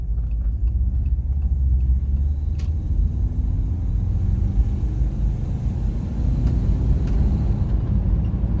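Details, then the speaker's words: Subaru Forester boxer engine just fitted with welded-in unequal-length headers on the stock exhaust; a tiny leak remains from one missing bolt. Deep, steady, even soupy rumble with the usual uneven-header burble and no knocks or misses: a healthy boxer. "gives us that soupy Rumble just a little bit easier oh yeah definitely"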